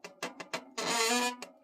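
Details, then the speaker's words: Bicycle disc brake squeal when braking downhill: several short squeaks, then a loud, shrill, steady half-second squeal, a pad-to-rotor vibration turning into resonance. "What a lovely noise to upset the tranquility of your Sunday afternoon. Okay, I'm going to talk you through five different ways that hopefully can eliminate that this awful squeal."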